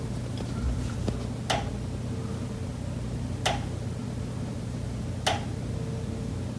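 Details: Condo unit, September: single sharp knocks about every two seconds over a low steady hum. Pipes behind the kitchen wall knock constantly day and night, audible through the kitchen and living area; source not found.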